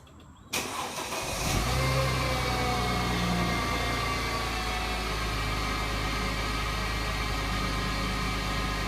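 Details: 2008 Mercedes-Benz C300 V6 with stock exhaust, cold start and revving: a loud, steady high-pitched whine over a fast idle from a failing alternator. Replacing the alternator removed the noise.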